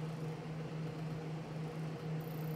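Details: Prototype Xbox 360 XeDK at first boot after CPU replacement by BGA rework and recap (old CPU booted 1-2 of 10 tries): steady, even low fan hum spinning up, no rattle, scrape or pulsing; functioning properly. Normal fan run.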